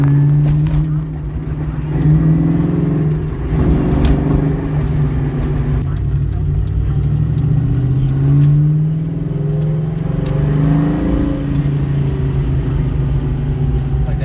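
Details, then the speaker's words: 2001 Mustang GT 2V 4.6 V8, modified daily driver, under light-to-floored throttle while driving: a raspy puffing edge rises with revs, an exhaust leak. "so yeah i'm gonna floor it just a little bit you're gonna be able to hear the exhaust leak"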